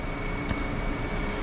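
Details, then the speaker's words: Mini Cooper project, engine off, scan code shows engine coolant temperature sensor high: a steady fan whoosh with a faint constant hum; cooling fan runs constantly as it senses a high coolant temperature. "The fan is on for some reason cuz it's sensing that it's high for some reason."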